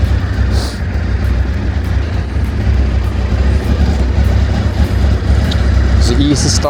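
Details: Crashed, recently revived Honda VFR 800Fi 5th-gen V4 motorcycle on first test run: deep, steady burble holding an even idle with no misses or knocks, music over it; normal healthy idle.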